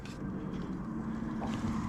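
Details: Central Boiler CL 6048 Classic outdoor wood boiler at yearly start-up, circulation pump plugged in with about 500 gallons of cold 53° water: steady, even low hum with a faint constant tone, no knocks; pump running normally.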